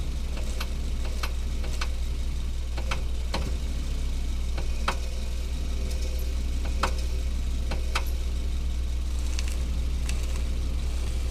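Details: Hyundai Solaris at steady idle: sharp, irregular clicks every half second or so. A steering rack knock, with the rack bushing suspected as the likely cause, not confirmed.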